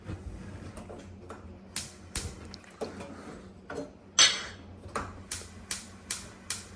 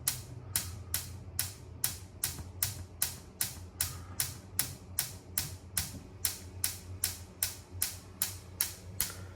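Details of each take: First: Ultraline gas oven top burner igniters after the burners were cleaned with a steel brush: sharp snaps settling into a steady two to three ticks a second. Normal sparking; the intermittent ignition needed cleaning and nipple alignment with the igniter. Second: Ultraline gas range top burner: steady sharp igniter ticking, about 2.5 a second, with no flame. The burner doesn't light because the burner cap nipple is not aligned with the igniter; realigning the cap fixes it.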